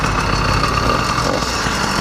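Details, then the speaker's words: Motorized bicycle with a freshly rebuilt custom-ported YD100 two-stroke replacing a broken 100cc iron-sleeve engine, test ride after a two-notch adjustment: steady, even buzz at one pitch under wind rush, no misfire or bogging; already more pull, running cleanly. "it's already better I've already felt a little bit more pull on it"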